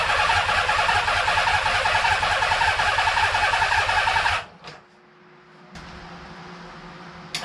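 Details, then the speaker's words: Honda CBX1000 first run after revival, jump-started on a remote fuel tank, won't idle properly, revved to about 4000 rpm; quick even tick about 160 a minute over the engine, owner suspects top end, unconfirmed. "very odd engine noise as I know you could hear in that video so kind of seeming like it's something in the top end not too sure"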